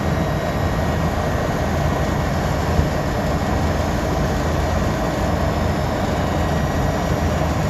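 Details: Walk-in freezer after replacing the failed compressor and fan motor, pressures and subcooling checked good: loud, steady drone from compressor and fan with no knocks, rattles or pitch swings; normal running.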